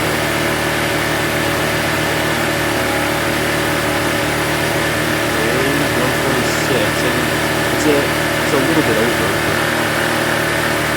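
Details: Neglected Honda EB1400X generator, 107cc 3HP, 1400 W, after carburetor cleaning and tank wash, started with drill as starter and warming up: steady even hum, no misses or knocks; runs smooth and healthy.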